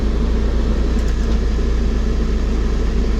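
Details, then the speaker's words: 1998 Mitsubishi Mini Cab dump truck, 3G83 gas engine, about 26,000 miles, idling with the AC button pressed so the idle rpm rises; steady low rumble with an even pulse, runs smoothly, AC working well. "So you push the button and RPMs going up. And AC works good on this truck."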